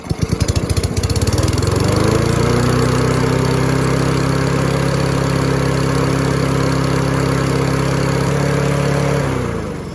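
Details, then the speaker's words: Free Husqvarna lawn mower, oil low, just restarted after clearing a debris clog from the deck: catches quickly and settles into a steady, even drone that sounds a bit fast; idle suspected set high, unconfirmed. "Sounds like it might be idling a little bit high, too. We'll have to look into that."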